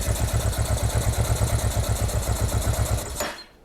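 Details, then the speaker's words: Honda NTV650 left unused 15 years, first start attempt: deep, lumpy, uneven V-twin beat for about three seconds before dying; rough running, owner suspects the carburetor and possibly the fuel pump. "So it lives, and you know, within the realms of expectations, it performed kind of as I thought it was going to."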